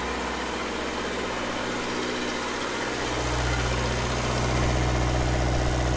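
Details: Restored Red-D-Arc D300K welder generator with Kubota V1902 four-cylinder diesel, running during oil pressure and water temp shutdown-switch tests: steady even chug with firm low beat deepening slightly midway, no knocks or misses; healthy.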